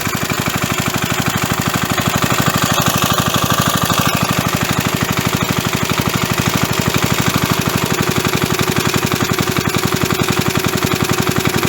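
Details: Roughly 37-year-old (about 1985) 3.5 hp Briggs & Stratton single-cylinder mower engine, a hard starter helped with carburetor cleaner. A loud, steady beat that never misses or falters over twelve seconds; running fine.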